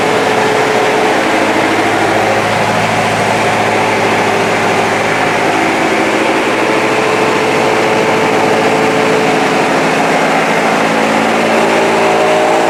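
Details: Vintage Victa Mustang two-stroke alloy lawnmower after carburetor kit fix, started cold after priming: steady, crisp buzz holding even revs throughout, no surging or misfire; running healthy.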